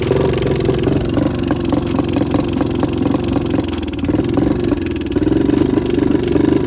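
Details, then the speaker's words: 2014 Honda CRF125F, previous owner's rebuild, before repair: lumpy uneven single-cylinder run with a loud sharp pecking tick, no power, heavy smoke; cam chain timing found out of time. "it runs but it has a loud pecking noise coming from the engine it has no power whatsoever and it smokes a lot"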